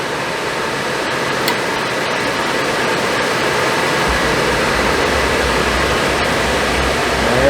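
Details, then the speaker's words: Suburban RV propane furnace, bench-tested out of the RV after reassembly over a suspected failing fan motor, fired and running: even, steady blower rush with a smooth hum and no scraping, normal quiet operation. "See if it sounds better. Can't sound any worse, I don't believe. Sounds a lot better. See fires up."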